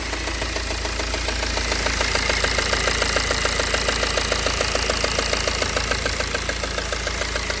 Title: BMW 320d n47 e92 ticking sound from engine - solution